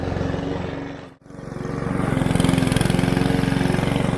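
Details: Mountfield HP 414 petrol lawn mower after cleaning its dirty carburettor, which had made it start, run, then die. Cutting grass, it dips briefly as it bites, then pulls back to a steady, even drone and holds speed under load.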